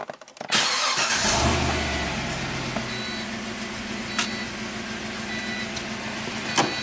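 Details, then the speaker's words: 2006 Pontiac GTO V8, 36,000 miles, six-speed manual, just after a new AC Delco plug in cylinder 3: catches, flares briefly, settles into steady smooth idle with no miss; fuel trims perfect, healthy running. "seems to be happy. So, we'll uh we'll test drive it when he gets back. It's It sounds really smooth."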